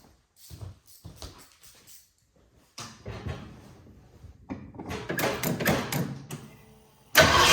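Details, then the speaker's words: 1967 Mustang, carbureted, air cleaner and distributor vacuum hose off while adjusting timing: cranks, catches in ragged bursts, stumbles and dies; would not run, traced to fuel delivery problem, fuel starvation. "And I was trying to figure out why it would not run with the timing just a little off. Usually they'll run just kind of poor."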